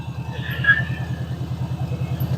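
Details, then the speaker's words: 1988 Subaru Loyale saved from scrap, first start, started easily: quick, even pulsing idle with a loud, throaty low rumble, runs smoothly but noisier than it should; loud engine running, cause undetermined. "well this thing's now that goes really good that's impressive um it is a little loud"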